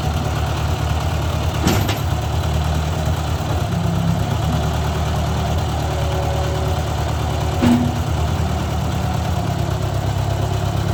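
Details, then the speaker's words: Owner's 1956 Ford 640 tractor, restarted after years unused and after a pinched oil-pressure line was fixed: steady, even low rumble at idle with no misses or knocks; runs well but still rich and a little smoky, carburetor needs adjusting. "well there we go guys thing fired up and ran really good actually it's still running rich"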